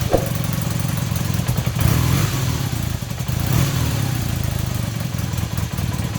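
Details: Super Dream motorcycle on its original carbs with non-adjustable plastic floats, just refitted, no leaks, started cold on choke: steady burbling idle with two clean blips of revs rising and falling smoothly without hesitation; carbs working again.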